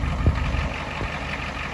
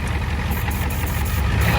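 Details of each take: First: 1989 Ford F250 7.3 IDI diesel driving after fitting used injectors from a '91 parts truck: steady drone under way with only a couple of soft thumps, no stumble or misfire, unlike its earlier smoking and misfiring at 2,000 rpm. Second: 1989 Ford F250 7.3 IDI diesel after fitting used injectors from a '91 parts truck: clatters at a raised, slightly uneven idle that won't settle; less smoke and misfire than before at 2,000 rpm, but owner thinks it's unhappy.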